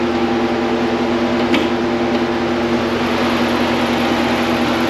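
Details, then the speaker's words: 2020 Dodge Challenger 1320, stock 392 Hemi with Mishimoto 180-degree thermostat, no tune, hot idle under hood after hour-long drive, coolant about 212-222°F: loud steady whoosh of radiator fans just kicking on over low idle hum; normal. "I don't know if you heard that, but they just kicked on, so they weren't even on a second ago when the temps were high, so."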